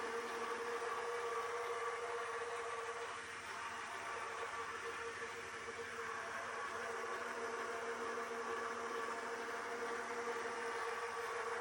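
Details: Dyson robot vacuum, days old, failing to dock with a damaged brush: steady high whir with a sharp whining tone, louder and harsher than normal; loud abnormal noise, fault not confirmed.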